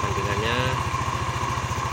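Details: Yamaha NMAX 155 (old model) after repair of error code 61 (ISC idle-control fault); ISC read 33.5% before starting. Even, steady idle thump about eleven beats a second, no misses or knocks: normal idle.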